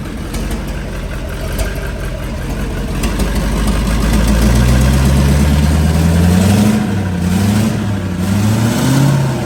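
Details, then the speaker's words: LBZ Duramax drag truck with a 472 charger, 150-over injectors, 12 mm pump and nitrous, first run with air still in the system and the exhaust manifold plugs out: idling then revving, with rapid tapping that climbs with revs, like a big exhaust leak. "You're hearing a little tap, but I have the plugs out of the exhaust manifolds. It's definitely what it sounds like. It's like a big exhaust Yep. leak."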